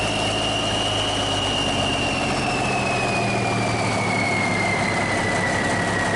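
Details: Circa 1991–92 Kenworth with Cummins 350 Big Cam diesel, first start in years after priming fuel pump: steady, even idle with faint turbo whistle slowly dropping in pitch; runs smooth and healthy.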